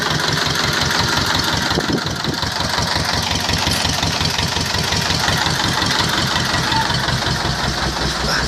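Steady, even diesel clatter at a relaxed idle with regular firing pulses and no misses or knocks; the engine runs smoothly.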